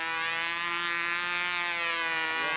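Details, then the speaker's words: Glow engine on a U-control (Windy U Master) plane in flight: high thin scream climbs and wavers through the pass, going lean for the whole maneuver; going lean on outside maneuvers means the fuel tank shim needs adjusting. "but it's staying lean for the whole maneuver now"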